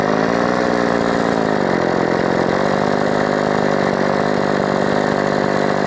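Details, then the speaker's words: Modified Husqvarna 357XP chainsaw with all new parts, in a test cut: holds a high buzz but the pitch hunts and wavers. Uneven running; an air leak suspected, may need carb tuning. "I know you guys will say sounds like it's got an air [Music] leak and perhaps it [Music] does but it's all new"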